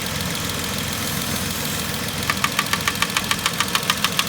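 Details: 2010 Vauxhall Corsa 1.0 Ecoflex three-cylinder at idle: silent with the swirl-flap vacuum pipe removed, then sharp metallic tapping about three per second once it is reconnected. Worn inlet manifold swirl flaps, not bottom-end knock; fixed by blanking the vacuum pipe.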